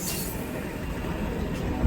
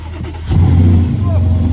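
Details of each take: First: Range Rover bought at auction with a known engine problem, idling with a deep rumble and a loose, uneven rattle about three times a second; rattle is noted on the auction report, cause not stated. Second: Car with a 4-litre German AMG V8, 101,000 miles, two owners, at auction: engine catches quickly and settles into a deep, even burble with a clean rev blip, no knocks or misses. Normal start and rev.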